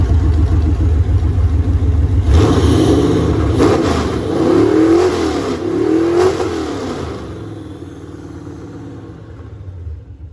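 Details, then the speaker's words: LT1 V8 with 411 PCM on an engine stand, open headers, no radiator, D-screened MAF, early heat-cycle run: lumpy, uneven beat, revs up and settles; owner says timing needs some work. "Yeah, it needs a little bit of work on the timing. That's pretty good though."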